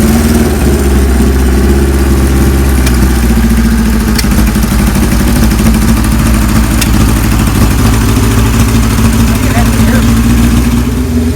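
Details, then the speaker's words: 1978 Kawasaki KZ1000A project bike, possibly original miles, first hot-wired startup with a small gas leak: inline-four fires and settles into a steady, even idle with a low drone, no knocks or rattles; normal idle. "this is the maiden startup job we've not heard the bike run yet Kenny's okay he's gonna hot-wired here"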